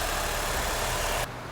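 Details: 2006 Nissan Altima after engine misfire diagnosed and repaired: smooth, even idle with a steady low hum and no stumble or miss; engine running cleanly.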